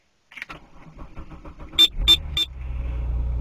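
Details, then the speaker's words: Buick Park Avenue sat almost 72 hours in 4 feet of snow at 13 degrees, DieHard Gold battery at 10 volts with accessories left plugged in: slow labored cranking about 1.5 seconds, then catches and settles into rising idle; successful cold start. "when it starts that is impressive he's plugged in since before the [ __ ] storm"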